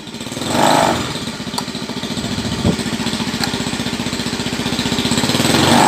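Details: Carburetted Honda Beat scooter that had badly cut out ("ngepos parah"), reassembled and idling while the carburettor air screw is set. Even single-cylinder putter of about four beats a second, climbing slightly; idles smoothly and steadily.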